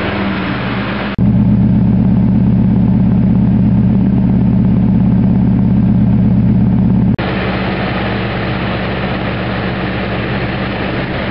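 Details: V8 at idle after misfire fix (spark plug leads on wrong plugs corrected): steady, even low rumble with no stumble or skipped beats.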